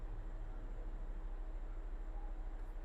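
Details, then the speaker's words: Ford Fiesta (2011-2019) after replacing HVAC blend door actuator behind glove box: quiet cabin, faint low hum, no knocking or clicking at startup. Normal blend door operation after repair. "No knocking. No clanging. Phone disconnected. So, we know it works."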